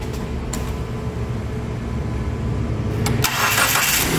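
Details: Dodge Neon previously no-start after oil pressure switch replacement, retested (loose contact suspected): steady cranking about three seconds, then engine catches cleanly into an even idle; now starts properly.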